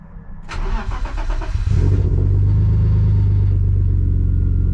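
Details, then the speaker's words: BMW E34 with M50 engine after fuel pump replacement fixed a no-start; short crank, catches almost at once and settles into a steady, stable idle with no stumble or hunting. "Right, so as you've just seen it running, starts on the button now, which is what it wasn't doing, and it idles pretty stable as well."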